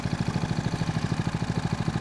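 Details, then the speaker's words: Homemade outboard on a sea trial, in gear at idle, trolling at 4 km/h (about 2 knots). The engine surged slightly and hesitated on throttle beforehand. Here it gives a soft, even putter of about eight to nine pulses a second, quiet and steady: a normal idle. "This is idle speed. This is actually pretty nice. It isn't really noisy, and it seems effortlessly for the engine."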